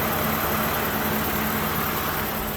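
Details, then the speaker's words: 2007 Toyota Avalon V6 2GE-FE 3.5L at idle after removing a broken stuck coil boot: smooth, even idle with a steady low hum, no vacuum leaks, knock, skipping or miss; running properly. "It is running. Everything is all set. No vacuum leaks, no knocks, no skipping, no missing. Sounds good."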